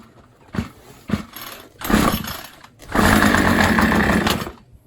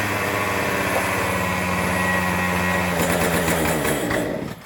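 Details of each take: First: Troy-Bilt two-stroke string trimmer, choked and primed: a couple of cord pulls, a sputter, revs about a second and a half then dies; carburetor air leak means it cannot draw fuel. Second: Troy-Bilt two-stroke string trimmer rescued from the trash, after oiling the air filter with two-stroke oil, shaft removed: steady, even high-pitched buzz without surging or stumbling, then winds down cleanly; engine runs properly, transmission side still unfixed.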